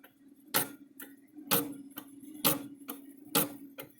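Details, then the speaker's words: Electric fence charger with a mechanical timer wheel: a sharp click about once a second, each followed by a softer pop. The stretched return spring lets the wheel overswing and hit its back side twice per cycle. "it bounces it back but it's so stretched out that it's not working right but it does come on it should there goes kind of hear it clicking and it's got a uh see there's where it's hitting the back side you kind of hear it hitting twice"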